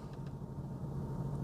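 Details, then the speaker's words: Jaguar XK engine at warm idle while live data is read on a scan tool, bank 1 sensor 1 oxygen sensor recently replaced: steady, even low hum with no knocks, misses or ticks; idling smoothly and healthily. "I've started the engine now, the engine's running."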